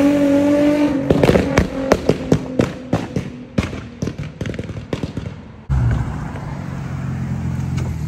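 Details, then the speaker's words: Infiniti G35 coupe after replacing flex pipes and Y-pipe to fix a bad exhaust leak that caught fire (small hole still unfixed): revs up cleanly, string of sharp pops, then smooth steady run, no leak puffing. Healthy exhaust. "oh that sounds so much better guys oh my god i'm so happy to finally have that fix"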